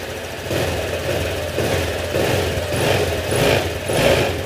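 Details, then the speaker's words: Honda Click 125 scooter idling after crankshaft replacement: uneven rhythmic shudder surging about once or twice a second from a loose drive pulley, though much quieter than the original bottom-end noise. "Ayan, narinig nyo na yung vibration ng clearings. Malayo na dun sa una."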